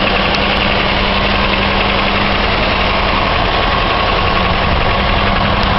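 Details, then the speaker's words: 2001 Chevy Malibu, about 300,000 km, cold idle after replacing the idler and tensioner: even, quiet hum with no rattle or tapping; old cold rattle, once blamed on piston slap, likely came from the loose idler-tensioner assembly. "I think they were saying piston slap and things like that, but this is totally quiet now."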